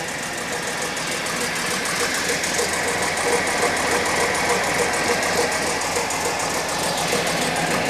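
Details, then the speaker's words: 1978 Daimler Sovereign 4.2 petrol six laid up 10 years, idling from ice cold with light steady rattle from the disconnected air filter housing, fixed by reconnecting it; alternator belt missing, alternator not spinning. "That rattling noise you can hear is this um air filter housing."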